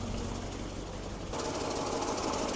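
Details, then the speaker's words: 1967 Lincoln Continental convertible V8 after replacing ignition coil and fixing spark plug wire arcing: runs at idle with fast, sharp ticking chatter and no knock underneath, an exhaust manifold leak, gasket left unrepaired. "all right looks like we got it as you can hear we definitely have an exhaust manifold leak"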